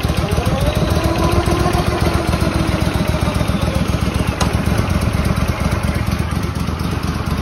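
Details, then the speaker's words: Restored Walker mower small petrol engine, after reassembly, running only on fuel left in carburetor with blower engaged: steady even low pulse with light blower clatter; running good, normal. "and uh yeah running good running good"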